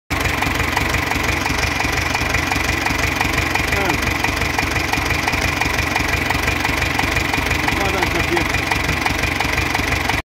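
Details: C360 engine with a blown head gasket, idling V engine: steady light ticking about three times a second over a constant hum, heard while checking which cylinder head's gasket has failed.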